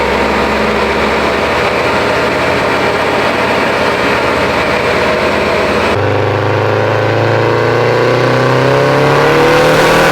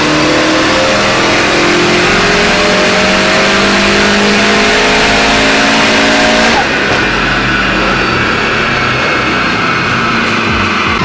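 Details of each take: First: Built Subaru STI on the dyno after suspected faulty coil packs were dealt with: a strong, even full-throttle pull with pitch climbing smoothly, no stumble, pop or break-up; normal full-throttle acceleration. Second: Built Subaru STI hatch on the dyno at about 15 psi boost. The engine climbs hard under load, then the note abruptly dulls partway up. The wastegate line popped off, causing a boost leak.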